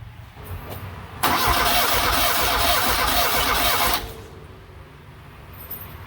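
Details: 1979 Fiat Spider 124 no-start: starter spins the engine briskly about three seconds, never fires; no spark traced to a failed magnetic pickup inside the distributor, replaced (ignition control module also bought, possibly unnecessarily).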